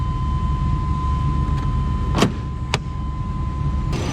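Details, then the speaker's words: 1996 Chevy Blazer, just started on the ground to warm up for a transmission fluid check: steady low rumble without knocks, misses or hunting; starts easily and idles smoothly. "starts pretty easy runs pretty smooth it'll get me back and forth to work"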